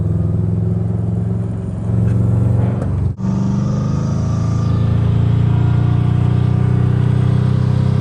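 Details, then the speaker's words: Subaru WRX driving in third gear at about 2,500 rpm before the exhaust repair; deep, loud, booming drone at light throttle, far too loud for the revs; owner attributes it to an exhaust leak. "Another example of why I think my exhaust is really messed up right now is because look at this. I'm barely in third gear and look how loud this thing sounds. We're only at 2,500 RPMs and look what it sounds like."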